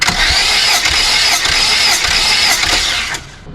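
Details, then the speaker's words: Volvo 480 2.0 that won't start after a timing belt replacement and valve adjustment, cranking during a compression test. It spins over at about four pulses a second with an airy hiss on each stroke; there is still compression, with readings of roughly 10 to 14 bar of uncertain accuracy. "I heard it hissing, but yeah, there's still some compression."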